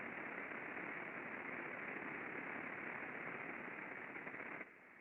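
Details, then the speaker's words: Industrial bearing heard through an ultrasound lubrication instrument during greasing: a loud, rough hiss from the under-lubricated dry bearing drops sharply and goes quieter as grease reaches the raceway, showing reduced friction. "so when we lubricate and we actually get some um grease or oil into the Raceway we can see that dramatic drop not only physically visibly can we see it but we audibly can hear it as well when we grease"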